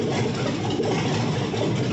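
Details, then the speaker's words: Cammed 6.0 LS V8 in a 1978 El Camino after a different tune: steady, choppy big-cam lope holding idle without throttle, no dying or hunting; normal cammed idle. "not even touching the throttle she's idling look at that healthy camp"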